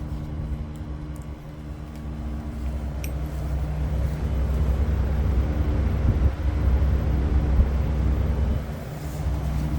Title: loud buzzing noise from Daikin Erla 11kw